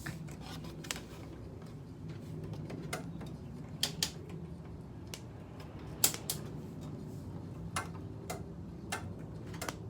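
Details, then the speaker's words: Carrier window air conditioner at spring startup after months unused. Scattered sharp dry clicks over a quiet room hum after shutdown. Normal thermostat click. "But this thing does work. I can't believe it. Even clicks too."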